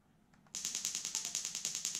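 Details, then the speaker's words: Link ECU spark test run from PC Link software, firing the number 5 cylinder coil: crisp, even snapping at about ten per second over near silence; coil sparking cleanly and regularly. "What I can do here, we'll actually just plug it in and we'll make sparks in the engine. So we'll do number 5. And you can just hear that ticking along"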